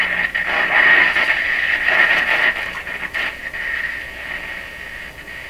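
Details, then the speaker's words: Japanese 1970 Strauss solid-state AM/FM tabletop radio on the AM band through a larger bench speaker: station comes through clean with no low drone under it; no mains hum. "I need to be very careful because you can hear hummus when the radio is tuned certain ways so I'm kind of coming with this out no hum nothing"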